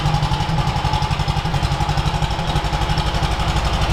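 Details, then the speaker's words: Soviet UAZ 469, restarted after sitting about a month: lumpy, uneven idle with dropped beats, running on only two of four cylinders; fuel plentiful, choke kept on, owner suspects an ignition fault, later overhauled to electronic ignition. "okay so it does fire up but it doesn't sound like we're running on all four"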